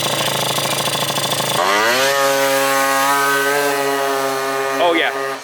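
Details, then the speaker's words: Malaguti F12 70cc two-stroke scooter with a rough popping idle, revs flattening into a held buzz short of full rpm after the carb screw was turned out; owner suspects a fuel issue and heavy rollers. "it's a fuel issue we got to figure it out"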